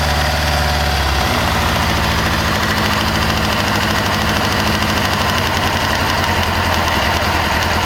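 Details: 1998 Kawasaki ZX-6R inline-four after a valve adjustment: even idle with quick, light ticking, steady with idle; owner thinks it comes from the rear under the fuel tank, not the cam chain area, source unconfirmed.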